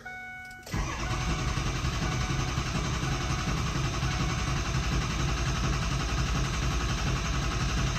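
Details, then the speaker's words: 2003 Ford F-350 6.0 Powerstroke after the valve and filter were refitted: quiet, then the engine catches abruptly and settles into a steady, deep, even diesel idle; possible air from cranking without oil; normal start. "sure there's air in the system from trying to crank without oil in it so but so there you go so she's running smooth right now"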